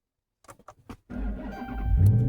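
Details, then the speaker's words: Hemi-powered car that powered on but would not start, after replacing two blown fuses (one for the ABS module, fuse 36): a few faint clicks and a very short crank, then it catches at once and climbs to a strong, even idle; healthy start. "See that? Fired right up."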